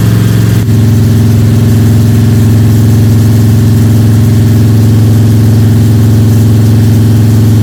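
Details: Freshly built Ford 302 Cleveland V8 with Holley Sniper and new electronic distributor, first start, fast idle for cam break-in (~10–15 min), timing around 31°: strong, steady drone, clean even beat, no lifter ticks or rattles; normal high idle.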